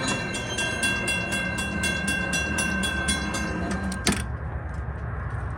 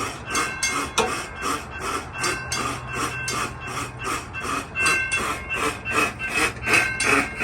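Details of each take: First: Model 3590 railroad crossing gate mechanism after readjusting the screw: bell rings about four strikes a second, then one firm clunk as the arm seats and holds. Finding: normal gate operation, malfunction fixed. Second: Railroad crossing gate mechanism in a demonstrated malfunction: a harsh rasping grind repeating about three times a second in uneven bursts from the hold-clear device. It makes the other signal go erratic and can damage the mechanism.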